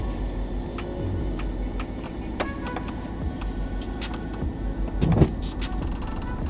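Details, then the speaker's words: Front-left wheel-well clunk on a Dodge Challenger with Eibach lowering springs on factory upper control arms, heard once as the car backs into the garage over a bump; owner suspects the control arm. "That was it right there. I'm gonna pull in and I'm gonna back out so y'all can hear it again. Yep. Got a feeling that's the control arm."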